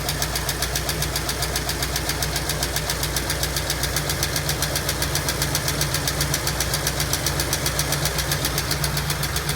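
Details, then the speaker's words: 1965 Ford Mustang coupe, supposedly 302 V8, first run after sitting since 1992 with locked-up engine, front jacked up: fast, even light ticking, two or three per second, over slightly uneven idle, no smoke; lifter tick not going away. "No smoke as of yet. We'll see what happens after a little while, but nothing yet. That lizard tick ain't going away either."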